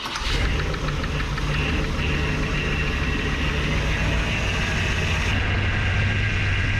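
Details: 1961 Chevrolet Parkwood with new exhaust and HEI ignition, timing near eight degrees: engine catches quickly and settles into smooth, even, steady idle with no misses or knocks — normal idle.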